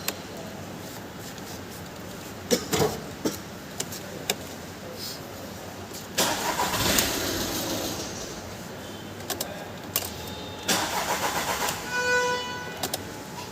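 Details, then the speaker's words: VW Polo 1.2 CJL diesel that starts then shuts off, cluster not lighting with ignition on; DTC P157000 ECM locked plus no-communication codes. Short whirring cranks catch then fall silent instead of idling: starts then stalls. "ಇದರಲ್ಲಿ actual ಆಗಿ ಗಾಡಿ start ಆಗುತ್ತೆ ಮತ್ತೆ of ಆಗುತ್ತೆ ಈ ರೀತಿಯಾಗಿ issue ಇರೋದು"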